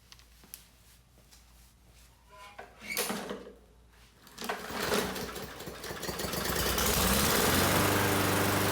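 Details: Murray 21-inch mower with Briggs & Stratton 450 series engine and plastic carb, after cleaning water and cloudiness from the carb: a few pulls, a brief stumble, then a steady, even run. Previously hunting and sputtering; now running normally.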